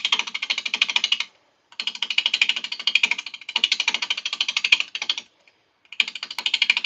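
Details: Wet, freshly felled wood being bowl-turned on a lathe: rapid bursts of sharp clicking chatter between cuts as the gouge bounces on the rough bowl bottom; the noise persists until the bottom is trued smooth.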